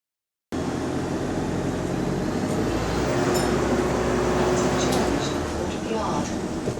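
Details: Bus SLN 12340 on route 161, heard inside while running: a steady whirring drone with a faint wavering tone that swells and holds. An abnormal noise from the hydraulic cooling fan.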